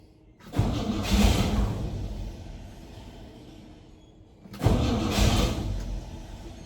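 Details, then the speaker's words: Chevy/GMC K10 squarebody sitting for years, fresh gas poured in; two bursts of steady starter cranking, several seconds each, never catching; cranks but won't start, probably bad fuel or not picking up fuel, reported carburetor issues. "And they won't pick up fuel yet. Or it's really bad fuel."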